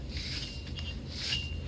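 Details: 2008 Buick Lucerne 3.8 wheel hub assembly: dry, gritty rasping as the loose hub bearing is spun by hand; its seal has failed, grease has leaked onto the ABS tone ring, and the bearing is on its way out.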